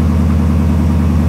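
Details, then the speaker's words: 1999 Suburban V8 just after replacing a high-pressure oil pump with a standard-pressure one, cold start: steady, even low idle with no knocks, ticks or misses; oil pressure 40 PSI at idle versus 60 before, normal. "That's better. That's definitely better. So we're gonna let it run for a little bit and let it get the oil warmed up."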